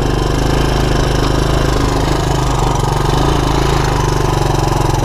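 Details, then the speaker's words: 1984 Honda ATC200ES Big Red single-cylinder ATV after a 12-volt DC CDI ignition upgrade for a no-spark fault, cold and warming up; even, steady idle putter with no misses or pops, normal warm-up idle. "it warm up a little bit before i go too crazy"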